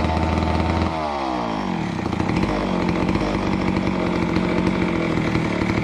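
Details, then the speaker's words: Neglected McCulloch Super 250 chainsaw revived: revs drop off cleanly, then even two-stroke burble with no misses or stumbles; running nicely, normal running. "as you saw with the 250 we got it up and running really nicely it it purred along and um seemed to run fairly well"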